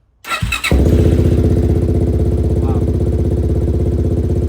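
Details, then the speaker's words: 2006 Suzuki LTZ 400 after carburettor cleaning and jetting (stock pilot 22.5, main 130, aftermarket pipe), fresh gas, choke off, ice-cold first start: quick crank, catches immediately into steady even single-cylinder thump; starts clean cold. "Just like that. It's ice cold too. I haven't even touched this thing. Ice cold. Perfect. Beautiful. Perfect."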